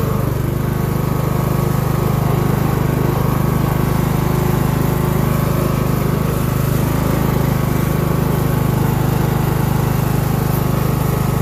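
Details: Craftsman LT1000 mower engine, being built as a mud mower: steady, even single-cylinder drone at an unchanging low pace. Owner estimates about 2,000–2,500 rpm against a supposed 3,500, so low engine speed. Not smoking, just burning off oil and probably water.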